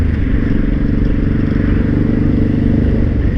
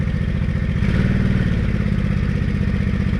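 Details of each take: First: Honda Shadow 500 V-twin ridden under throttle with a rough clattering rattle that stops when the throttle is released. The cause was broken and loose flywheel bolts lacking the Loctite the manual calls for. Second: Honda Shadow 500 V-twin after replacing broken and loose bolts found without Loctite, following a low-rpm knock and a worsening rattle; cold start with broken choke cable: even, steady idle thump, clunk gone; normal idle after repair.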